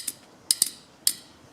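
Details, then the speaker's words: Go-kart small 4-stroke engine (lawnmower-type), starter solenoid removed and bench-tested with jumper leads to its positive: four sharp, crisp metallic clicks in under two seconds as the magnet pulls in; solenoid works normally. "But when I touch this to that, that solenoid switch should click in there. That magnet should click and it should complete the connection there. And it does."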